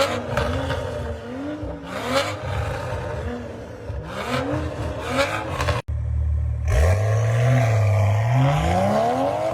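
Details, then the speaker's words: A90 Supra with a new GTHAUS GTC exhaust, fitted after the exhaust valve flange snapped and replacing a MagnaFlow setup, heard on underpass pulls, digs and flybys: deep, loud exhaust rising and falling with no rattle or drone. The exhaust note under acceleration is normal and healthy. "Oh my gosh, that sounds so good. So good."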